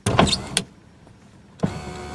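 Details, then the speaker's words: 1987 Toyota Camry LE (very early 1987, built late 1986), 4-cylinder, engine not running: power window switch clunks, then steady motor hum with slight whine as the glass travels; that window is a little noisy but works normally. "you can hold the button down that one's a little noisy but just the same"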